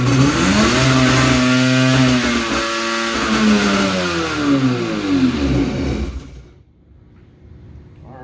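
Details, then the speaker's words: Two-stroke X2 ski engine on the bench, run on straight gas with squirts of fuel (no oil mix), started by jumping the switch; fires and revs up and down cleanly with crisp even buzz before shutting off; normal running. "i do just plan on running mixed fuel in this i don't want wanna have the mixer i don't know we'll see but uh man that thing sounds healthy"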